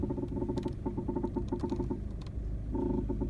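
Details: VW Golf Mk7 1.6 TDI steering creaking, knocking and rubbing noise in short clustered bursts as the wheel is turned; source unknown, owner believes it a common Mk7 Golf problem.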